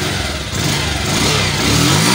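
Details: Bajaj Pulsar 150 after repairing a missing/jerking problem, full revs on test: engine revs up smoothly and evenly with no stumble or misfire, pulls cleanly through the rise; normal revving.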